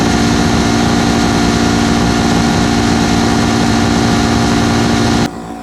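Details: 8V71 two-stroke Detroit Diesel with racks tied at full fuel starts and screams in a flat-out howl at one high pitch with no governor control, then cuts off suddenly; deliberate full-fuel runaway before water is fed into the blower.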